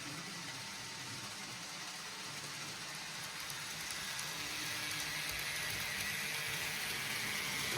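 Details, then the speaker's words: Model railway class 67 locomotive, not at full power, gearing already greased, filmed as it approaches: high hissy whir growing louder; owner thinks it is just a noisy motor, may replace it. "I did put some grease on it in the in the gearing but I think it's just a noisy motor"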